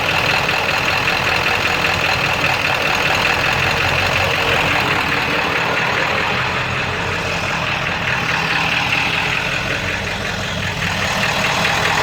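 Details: 7.3 diesel rough runner with no power, switched from high idle to street mode: lumpy uneven beat with knock about two or three per second, owner says sounds like rod knock; puffing raw-diesel smoke, EGTs good, cause unconfirmed.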